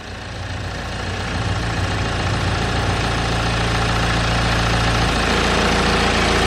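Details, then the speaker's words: BMW N47 diesel at idle, with the engine vibrating and a fast buzzy rattle on top that smooths out when the engine cover is pressed down. Suspected engine cover issue: engine cover rattle. "okay then so as you can see the engine appears to be vibrating quite a lot and there is kind of like a rattle sound"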